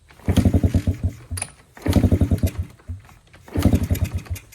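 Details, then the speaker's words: Motorcycle abandoned about a decade, with old oil and stale fuel: three short cranking bursts of soft, uneven puffs that never catch. It turns over weakly and won't start. Low compression suspected, and the spark plug was later found loose. "Alright, I'm just going to see what happens. Geez, you can tell it's a low compression engine."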